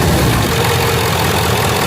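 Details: Ford F-250 HD Power Stroke diesel after replacing a torn-apart idler pulley, rigged with one washer shim on the original bracket. Idles with a steady, dense clatter and no squeal, chirp or rattle from the belt side; running normally.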